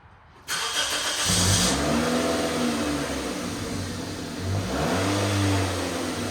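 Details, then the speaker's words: AWD Toyota Matrix after fitting a custom-built 2.5" exhaust without secondary cat and resonator: engine catches at once, settles, then two smooth rev blips with a low, subdued drone; pretty quiet, slightly louder than stock, normal exhaust note. "If you can hear, or should I say not hear, hopefully you can tell it's pretty quiet now. I have it running in the background, and the exhaust definitely works."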